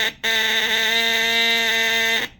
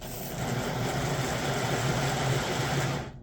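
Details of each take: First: 1958 (owner thinks) Lionel 2383 Santa Fe F3AA horn, bench-tested by bridging contacts after tightening the pitch adjustment screw on the back: a single steady, clean buzzing note of about two seconds. The horn works, sounding like an attempt at a diesel horn. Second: 1958 (owner thinks) Lionel 2383 Santa Fe F3AA locomotive before truck regreasing, E-unit lever slow to drop: buzzy whirring motor runs in strained bursts, stops and restarts. Stiff motor from old nasty grease in the trucks, later replaced with white lithium grease and oil.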